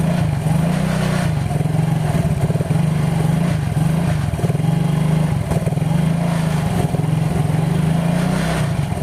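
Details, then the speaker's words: Yamaha Mio GT scooter idling with front CVT pulley removed, weak battery jump-started: steady, even low hum with no knocks or rattles, showing the engine core is healthy and the noise comes from the CVT. "baru kita tes suaranya tanpa pulih depan kalau suaranya hilang berarti di bagian mesin tengah itu Nggak masalah ya atau nggak ada yang rusak"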